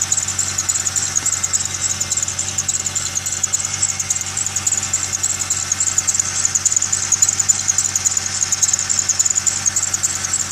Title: Video of squeel/chirp noise